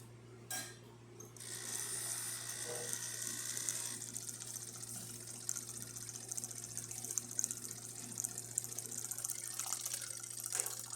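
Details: Jura Impressa C60 coffee machine after a full service and tune-up, hot water test: steady low pump hum under an even hiss of flowing water, no sputtering or straining; normal.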